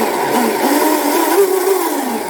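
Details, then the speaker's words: Deltaforce 35 electric RC boat on a 4S pack with TP Power 4060 motor and Swordfish 200A ESC: high motor whine rising and falling with throttle, a faint rough edge suggesting the rear motor bearing is starting to go bad. Cause suspected, not confirmed. "i think my back bearing sounds like it may be going out going starting to go bad so i may need to replace this bearing in the tp power"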